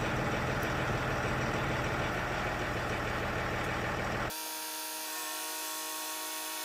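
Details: Range Rover Sport air suspension after repair, where the pump itself was the fault: steady even compressor hum for several seconds, then a clean cutoff; healthy, though the front raises slower than the rear and the pump gets hot.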